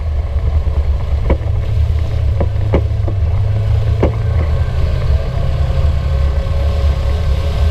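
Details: 2016 Polaris RZR 900 Trail, rear right: sharp, uneven knocks every second or so over low engine drone; knock reproducible by rocking the side frame. Owners suspect the sway bar, unconfirmed.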